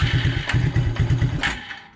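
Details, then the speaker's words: 1996 Suzuki King Quad 300 ATV during fuel-flow checks with the fuel filter line disconnected: single cylinder pops along in weak, ragged bursts, then dies within two seconds; barely running from fuel starvation. "it was running there just barely which is a good sign i think that's because i've just been cranking it trying to see if i could get it start"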